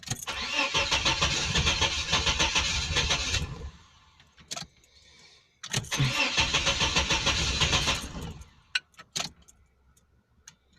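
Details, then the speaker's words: 1989 Chevrolet S10 Blazer with a suspected non-working oil pump gives two long bursts of steady, brisk cranking without firing before it finally starts; cause unconfirmed. "yeah it's trying to start but I just wanted to run it see it's trying to start"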